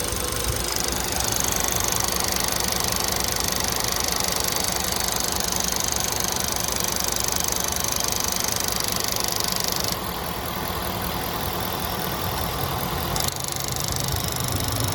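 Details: 2013 Ford F150 FX2 5.0L V8 with codes P2196, P2198 and P1450 and hard starting below a quarter tank: steady idle with quick light ticking three or four a second, from the purge valve; cause suspected, not confirmed.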